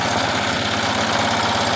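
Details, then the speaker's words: Melco embroidery machine running with new hoop arms: fast, steady ticking about eight per second with a constant rattly buzz as the presser foot strikes the hoop and keeps it vibrating. Presser foot striking hoop. "Uh because there is the the that that um leg is actually hitting, sorry, the presser foot is actually hitting the machine, the the the the hoop, and it's just vibrating constantly"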